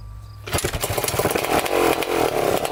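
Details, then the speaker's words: 1987 Kawasaki Tecate 4 250cc two-stroke quad on first start, with no airbox and no pipe silencer fitted: it fires up but burbles loose and uneven, popping instead of ringing crisply, running rich because the mixture screw was fully closed. "So she runs, definitely running rich for sure. We're gonna have to get the air box on, the pipe on. Probably doesn't run correctly without the silencer on there, so we'll definitely get everything going."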